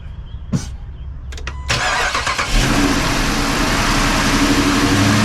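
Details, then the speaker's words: Dodge Charger 5.7L Hemi V8 after replacing serpentine belt, idler pulleys and tensioner: engine cranks, catches and idles with a faint thin squeak; owner wonders if it's the airbox, cause unconfirmed. "I still hear it squeaking a little bit no maybe the sound is the uh hcut airbox cuz listen I can still hear it the squeak is still there"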